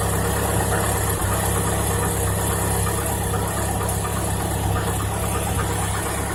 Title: Стук на холодную Нива Шевроле 2018